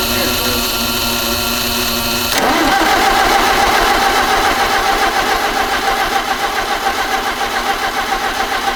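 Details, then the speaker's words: 1961 Oliver 550 tractor with a Marvel Schebler carburetor, start attempt after setting the idle screw 2.5 turns in, fuel on, choke and a little throttle: the starter grinds, then it catches and chugs roughly but won't stay running. It only keeps running on sprayed ether. "obviously if you give it an external source of fuel if you just keep spraying it with ether it stays running and you can if you're good with the spray can you can actually make it sort of have a fairly steady smooth idle"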